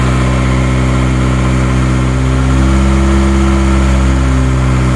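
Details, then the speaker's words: Built Honda B18B at first start after install: the engine catches and revs cleanly with smooth, steady firing and no knocks, ticks or misses; healthy. "So far, it sounds healthy."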